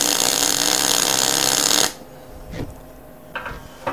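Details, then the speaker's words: MIG welder with voltage unchanged and wire speed at three: dense crackling arc with a harsh frying edge for two seconds; wire feed still slightly high, though the weld looks not bad. "that guys is still quite high i just want to spread it out a little bit more but you can actually see it's not a bad sort of weld"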